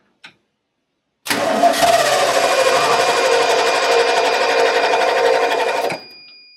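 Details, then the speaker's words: 1989 Ford F150, 61,000 miles, sat over 20 years: starter churns engine over at about three beats a second for about five seconds, never catches. Cranks but won't start; owner suspects old fuel, considers starting fluid. "Man, she's thinking about it. She's thinking hard about it."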